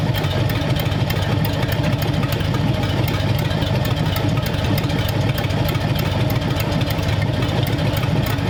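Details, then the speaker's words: Freshly built hopped-up Ford flathead V8 for a 1932 roadster, about 10 minutes into first run, 70 lb oil pressure, 170–177 gauge readings: steady, even low idle rumble without knocks or misses; healthy. "that sounds like a hot pretty good yeah 170 there 177 there"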